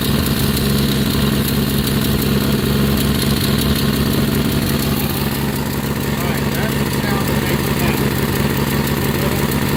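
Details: 1965 Plymouth Barracuda 225 slant six: loud rough idle with a sharp puffing tick two to three times a second from a leaking exhaust manifold gasket; a large hole was found, a bigger problem than just the gasket.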